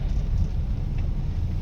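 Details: Honda Brio on test drive after complete suspension rebuild (shock absorbers and shock mountings replaced) that fixed knocking over speed breakers; steady low road rumble, no clunks or knocks, suspension now quiet.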